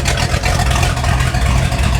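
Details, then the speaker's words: 1995 Fountain 24CS boat, Mercruiser 502 EFI big-block V8, warming up for an oil change with solid oil pressure: deep, steady burble with an even low rumble, no misses or knocks, a normal healthy idle. It stalled shortly after, cause unknown. "That sounds so awesome. Oh, I love this thing."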